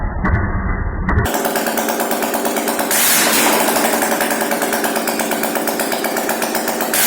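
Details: Yamaha AG200 single-cylinder motorcycle after complete engine rebuild with new piston and rings, first start: crisp rapid exhaust beat, steady and even with no knocks or misses; normal running.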